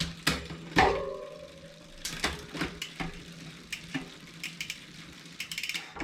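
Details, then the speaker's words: 2020 Specialized Fuse 27.5+ with a Shimano Deore Shadow Plus 10-speed rear derailleur, after backing off the H limit screw: crisp, isolated clicks as the chain drops onto each cog, with no chatter or rubbing. Shifting is now properly adjusted. "Now it appears to be symptom free."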